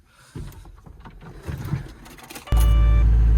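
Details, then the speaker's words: DX160 with hydraulic two-way mode fault, after replacing failed proportional valve: a few handling clatters, then diesel catches and settles into strong steady low drone; working normally. "there we go. Working as it should. Happy days."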